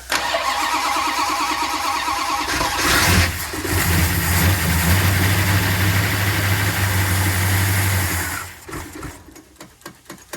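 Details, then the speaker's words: 1968 Dodge Coronet R/T numbers-matching 440 V8, rebuilt with roller cam, MagnaFlow exhaust, temporary carburetor, first start in forty years: brief cranking, then fires into a deep, steady idle with one blip; healthy start, runs well. "but it runs doesn't sound too bad that old carburetor we took off the car for a reason"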